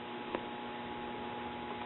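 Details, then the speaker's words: 1957 RCA Institutes kit AM tube radio: faint steady hum, no program sound; 168 V on both sides of the 100k plate load shows the audio tube not conducting, traced to two tubes swapped in their sockets. "so what does that tell you that tells us our 686 for whatever reason is not conducting"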